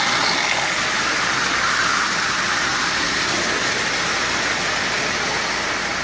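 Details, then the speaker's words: Marx 898 toy locomotive, lubed and tuned, running forward and reverse: steady buzzy raspy whirring, strongest up top; worn intermediate gear, likely to quiet as oxide wears off. "as I said as it runs it will probably become less noisy as that oxide wears off the part"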